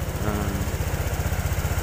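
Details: Honda Vario 125 fuel-injected scooter with bogging at high throttle (TPS fault code 8 stored), idling at 1600–1700 rpm at normal temperature: steady single-cylinder thump, even pulses, no misses; idle data normal.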